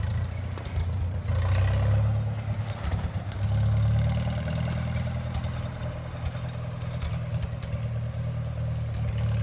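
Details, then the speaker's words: 1954 Farmall Super M tractor, hood off, bought at auction as non-running, warming up with oil pressure pegged. Deep, steady low thrum that swells briefly, then settles to an even beat with a little clatter. Normal running. "take a little movie of it this thing runs great it's unbelievable"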